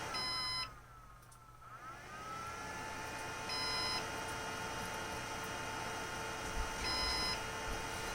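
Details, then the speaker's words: Synology DS118 NAS with a replacement 3-pin fan, in quiet mode: the fan spins so slowly that the unit thinks it has stopped and gives a fan-failure alarm, short high beeps about every three seconds over a quiet hum, the same fault as the previous fan. "Okay, so in quiet mode, the fan goes so slow that the device thinks the fan stopped and it's starting to beep. So it's doing the same thing that it was doing with this fan, actually."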